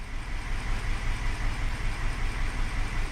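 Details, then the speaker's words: Hyundai Elantra idling with code P0304, cylinder 4 misfire, after the cylinder 4 ignition coil was swapped to cylinder 3. Still rough and lumpy with stumbles and the check engine light on; the fault did not follow the coil. Cylinder misfire. "It's still running rough and the check engine light is still on."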